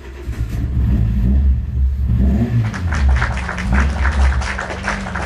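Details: Car after new gearbox, larger radiator and timing belt replacement, main relay bypassed to start: engine catches and settles into a deep, even run, then a few smooth throttle rises with no slapping or ticking; running healthy.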